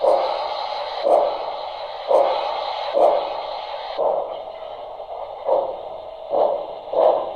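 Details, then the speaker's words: Broadway Limited steam locomotive tender speaker: chuffs about once a second, each carrying a rattly midrange buzz, worst on the whistle; the speaker sits loose and vibrates in the tender shell. "that is that the sound has a lot of vibration and it doesn't really seem to be very snug in the tender shell"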